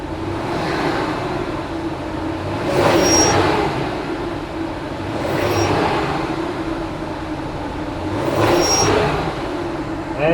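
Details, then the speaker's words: Truck engine revved three times after replacing idler pulley and tensioner (following a radiator job that included a new serpentine belt): thin high chirp rises with each throttle blip; noise persists, so owner concludes it's not the belt, pulley or tensioner but something else. "still doesn't much later so it still makes some noise so i guess it's not the belt pulley tensioner or whatever it goes it's something else"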